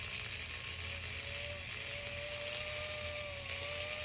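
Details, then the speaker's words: 1954 Lionel 6250 switcher on power, before cleaning and repairing the dirty e-unit: the motor whirs with a wavering tone while the e-unit clicks and ratchets through neutral, forward and reverse. "I'm definitely going to have to do a little e-unit repair cuz I hear it. Is >> that that clicking sound? >> Yes."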